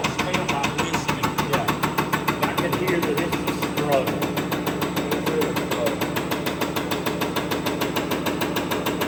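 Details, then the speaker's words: Spare diesel injector on a bench test stand after warm-up flush: fast, regular pops about three per second with a rough, ragged edge instead of a crisp crack, unlike the Detroit injector; stand reads fail, failing injector. "It definitely sounds a lot different than when we had the Detroit injector on there. And it'll show right there, guys. Fail, fail, fail."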